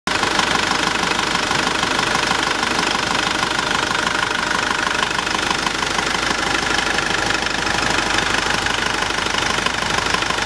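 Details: Nissan Navara YD25 diesel after rebuild, 30 minutes after first start; steady, even diesel clatter at idle, regular beat around three per second, no misses or knocks: normal healthy idle.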